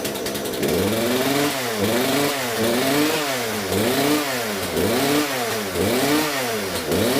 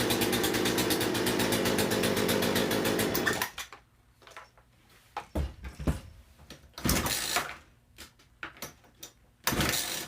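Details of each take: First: Poulan P3314 chainsaw just after swapping in a replacement carburetor: the engine surges up and down about once a second in a steady rhythm and picks up cleanly; runs far better, carb may need slight tuning. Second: Poulan P3314 gas chainsaw fitted with a cheap China replacement carburetor in place of the original: a rough, uneven two-stroke buzz for about three seconds, then it dies to scattered knocks; poor running from the badly tuned aftermarket carb.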